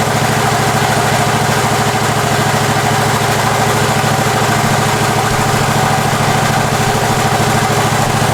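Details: Husqvarna 54-inch deck zero-turn mower, long stored in a shed, first start on a new battery: steady, even chug with regular beat, no knocks or misses; runs pretty good, normal running.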